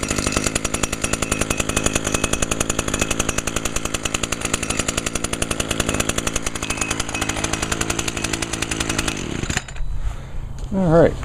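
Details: Echo two-stroke (model not stated) that sat all winter on VP ethanol-free small-engine fuel, not winterized or fogged; fast, crisp, even buzz at steady speed for about nine seconds, then shuts off cleanly, barely a little smoke; runs healthy.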